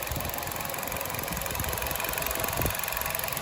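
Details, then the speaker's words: New 2023 Nissan Versa S manual at idle: light, fast, regular tick over the engine note, unlike direct injection. The owner is unsure whether it is valve lash or injectors; the engine sounds normal. "and then you hear the ticking which I'm not sure if that's valve lash or injectors or combinations but it definitely does not have the same sound that's direct and direct injection has"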